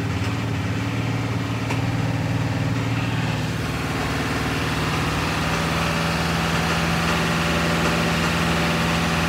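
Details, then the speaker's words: Ford 7.3 diesel truck, harness already replaced: revving with uneven stumbling beat, skipping and clanking knock as rpm climbs; misfire and knock at high rpm, cause not pinned down. "what I notice is the winner at higher rpm it will give me a skip and it will not give me a knock and then spit right back up and then give me a knock and then back off"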